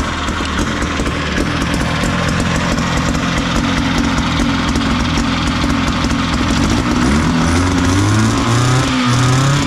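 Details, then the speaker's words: Big Max 6x6 amphibious vehicle, 440 cc two-stroke rear engine, running after carburetor work, choke on, a little smoky: loud, even buzz holding steady, then rising in pitch when revved; runs clean and strong, normal running. "oh that sounds great now we use choke shut it off Smokey all right success well now that we know we have a runner it sounds pretty good"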